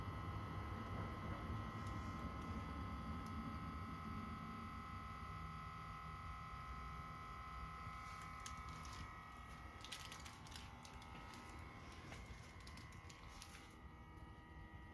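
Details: 2021 Subaru STI parked six hours with ignition off and the access port disconnected: a quiet steady hum under a faint high whine from the rear right side, which later went away. Source unknown.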